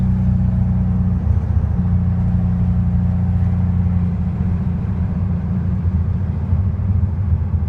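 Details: VW Beetle air-cooled engine hesitating and misfiring: a deep, uneven rumble that stumbles and changes note about a second in.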